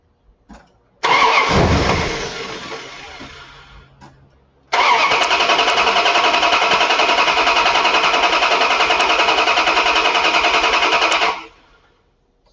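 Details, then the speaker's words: Starter current draw test with a load tester: two bursts of brisk, even cranking at a steady fast rate, no firing, dragging or clicking. Voltage stable at about 10.4 V, about 150–160 A draw; battery and starting system healthy. "that should tell you guys that the health of the battery is good because you can hear the cranking speed the health of the starting system is good etc"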